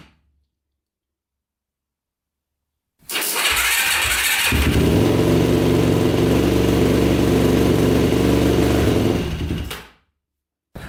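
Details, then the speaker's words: 2006 Yamaha YFZ450 Special Edition quad, started with faster jumper, choke on: fast single-cylinder beat about four per second, smoking heavily, dies when choke turned up; later found blown head gasket, head bolts barely torqued. "so it starts up but it smokes a ton and then it just shuts off right when you turn up the choke which is really weird"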